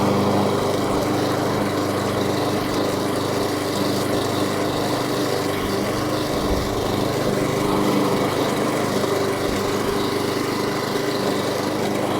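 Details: New Echo 190cc twin-blade gas mower mulching; steady even single-cylinder drone at constant speed, no misses or knocks, running smoothly.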